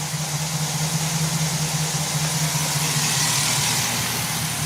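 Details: 2009 Chevy Silverado with AFM misfire, valve cover off, running at idle: steady low idle with faintly uneven beat, two or three pulses a second; stumble points to a collapsed AFM lifter.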